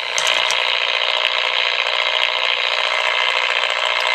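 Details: Steady raspy high-pitched buzz with fast faint pulsing, RF interference at 135 kHz picked up on an HF antenna, occurring daily and lowering DSL sync speed; source unknown.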